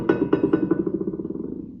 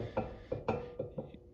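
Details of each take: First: Dana 70HD dually rear axle hub with drum, studs pounded in to lock drum to hub: about eight quick metal taps a second ring clean and die evenly, no rattle or movement; drum sits tight. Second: Dana 70HD dually rear axle hub rebuild for oversized tires: short dull metal clunks, about six in two seconds, as the drum is rocked; studs not pressed in enough to lock drum to hub (friction only), slight play judged good enough.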